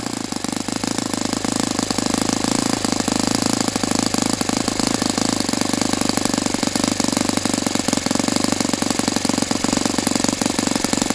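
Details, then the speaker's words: Saito FA-82a four-stroke glow engine on test stand after spring replacement, about 63–65°F: high buzzy full-throttle exhaust at fairly steady pitch with ragged crackle, never reaching peak RPM; owner unsure if prop is 14x6 or 14x8. "I don't understand why it's still not running at peak RPM or unless I could have swore I'm reading this prop is a 146 and not a 148, but still."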